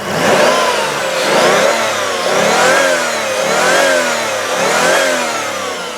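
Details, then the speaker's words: 1996 Chrysler Sebring Convertible JXi with a leaking valve cover gasket burning off oil, revved five quick times: the engine climbs and falls smoothly with no knock, valvetrain noise, tick or exhaust smoke. The engine sounds healthy. "There's no smoke coming out of the exhaust and there is no valve train noise. There's no high rev knock. The engine sounds good."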